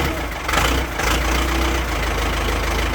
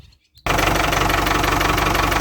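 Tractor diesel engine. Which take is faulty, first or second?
first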